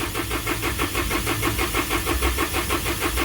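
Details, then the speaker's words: 2012 Isuzu with 4JJ1 diesel, codes 335/336, crank sensor and ECM already replaced: starter churns about three even turns a second for an excessively long crank, erratic engine speed on scan tool. Cause is crankshaft position sensor air gap. "So that was an excessively long crank, and you can see the speeds were jumping around."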